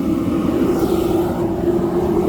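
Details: Sunbelt Rentals auction propane construction heater, plugged in, regulator working, turned up to high: steady even roar with low hum, no popping or sputtering; burner lit and running cleanly, normal operation.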